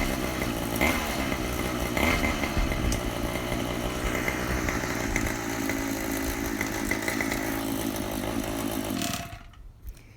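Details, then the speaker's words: Golden Eagle bike engine, Zenoah GX25 two-stroke, after carburettor swap and idle adjusted down: small two-stroke buzzes steadily like a string trimmer, not super smooth at idle, picks up cleanly on a light throttle blip; running healthy. "there you go sounds like a typical weedeater"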